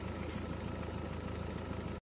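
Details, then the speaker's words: Diesel car idling after a leak-off test and injector coding that fixed an earlier misfire. It runs with a steady, even low clatter and no misfire or uneven knocking; it sounds and runs much better. Normal idle. "here's the engine ticking over it sounds and runs a lot better now which is all good"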